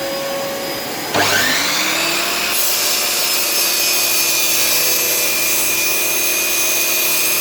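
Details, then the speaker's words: Lumberjack 1200 extractor, 1200 motor switched on at front switch: spins up within a second to a loud, steady, airy roar with an even whine; running normally and extracting dust well. "so what I like about it quite plain and simple is when I turn it on again it is quite loud so just bear with me a second I'm just going to turn it on there by switching"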